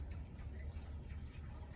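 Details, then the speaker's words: Sprinkler system inspector's test line being repaired, with a hose hooked up after the pressure relief valve was undone. Low, steady gurgling rush of water through the hose with no pauses; the line is draining normally. "If I crimp this hose, you'll hear it if it's draining. Yeah, not bad."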